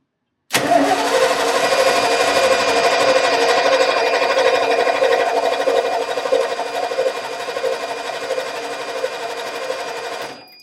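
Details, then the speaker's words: 1989 Ford F150, 61,000 miles, sat over 20 years, cranked via bridged solenoid: starter grinds steadily about ten seconds at even beat, never catching. Cranks but won't start; owner suspects old fuel needing repriming. "It's all that old fuel, I'm sure. She's right there. Just got to get reprimed. Get rid of that old fuel."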